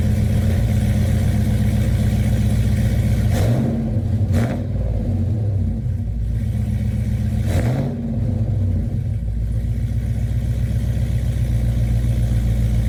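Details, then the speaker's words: Chevrolet Tahoe V8 after fitting Speed Engineering long tube headers, a header bolt broken: idle and quick revs with a light rapid tick over a less deep exhaust note; air leaking past the header at the head causes the ticking. "so the heads are secure but there is air leaking past and it's causing a ticking sound which sucks it sounds terrible"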